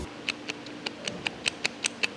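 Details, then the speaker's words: Two removed drive shafts rocked by hand: sharp metallic clicks about five a second from excessive play between inner CV joint and shaft, torn boot let in mud and sand; caused shake at 80 km/h under throttle, vanishing when lifting off. "这个内球笼跟这个轴的间隙非常大，还有一个，大家再仔细看一下，这个球笼破掉了。"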